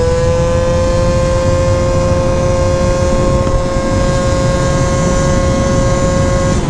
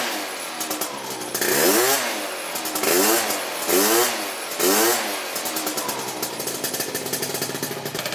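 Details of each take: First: Honda Elite AF16 72cc scooter with SmartCarb carburetor, riding at full throttle; steady high-pitched drone, clean with no stutter or bog, consistent pull; normal healthy running. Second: Honda Elite AF16 72cc scooter two-stroke with newly fitted SmartCarb carburetor; high-pitched buzzy revs blipped in short rises, a little burbly and uneven between blips; owner thinks it is running a little rich.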